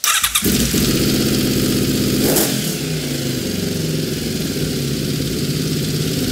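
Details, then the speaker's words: Honda VFR750 V4 motorcycle first running after carb rack install, fuel screws at stock setting. It starts, blips and hangs at a fast, uneven idle that won't drop, later traced to badly mismatched synchronization between cylinders: high idle from carb desynchronization. "i cannot get the idle down anymore let me work on this a bit and come back"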